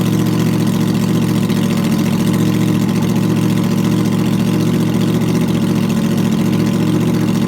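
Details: 2009 Yamaha R1 after rebuild for rod knock with new connecting rod bearings and sanded crank, first start through Graves exhaust: loud, steady, even idle, no knock or miss; normal idle.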